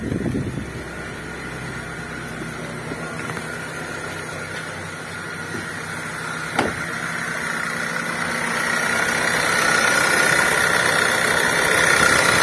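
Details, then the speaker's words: 2005 Honda Jazz VTEC engine with the AC switched on, where the noise appears. It idles evenly with a quick rattle about four per second that grows louder; the noise is uncomfortable and its source is not yet found. "Ada suara berisik yang bikin tidak nyaman untuk berkendara"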